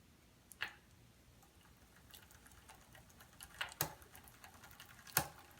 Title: Bike chain clicking noise